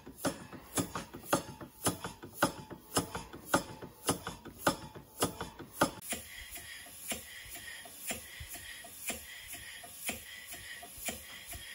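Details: Stevens Model Dockyard steam engine running slowly before restoration: a sharp, regular knock every turn, about two per second, from a slack big end bearing. Owner also suspects the piston is hitting the lower cylinder end cover.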